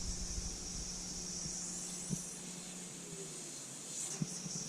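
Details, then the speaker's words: BMW E30 325i fuel pump running, fuel line clamped during pressure test: steady high-pitched whine with no stutter or surging while pressure jumps to about 5 bar (70 psi); healthy fuel pump. "okay that tells me my fuel pump's good my fuel pump just jumped up to about 5 bar 70 psi"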